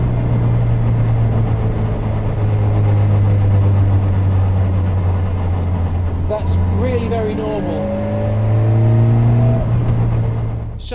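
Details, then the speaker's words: Caterham building speed into fourth gear, the 1:1 direct ratio of a 5-speed gearbox, cold November day: low droning buzz rising and falling with road speed; normal direct-gear gearbox vibration, nothing mechanically wrong. "which typically comes on as you're as you're slowing down and it's usually worst in whichever ratio is one for one so with a 5-speed gearbox your fourth gear is a one for one ratio and in a six-speed gearbox it's six gear"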